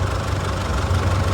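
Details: Isuzu D-Max 4JK1 diesel, previously shaking, sluggish and smoking black, at idle in neutral with A/C off after repair and reassembly: steady, even clatter and smooth low rumble, no misses or shake; a slack belt was then noticed.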